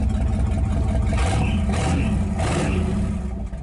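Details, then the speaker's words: 1959 Ford Galaxie that had been sitting, started and revved: a loud, rough, blatty exhaust rising and falling with revs. The driver's-side muffler has rotted out, causing an exhaust leak. "the exhaust I need to do something with the exhaust on it the muffler on the driver's side had rotted out"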